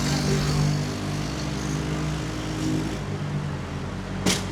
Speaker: Oh God, why does it sound so bad? At this point, I figured out it was probably just the exhaust not sitting correctly. Probably not a huge issue, I hope. I can confirm it is the exhaust that is disconnected itself on my bike.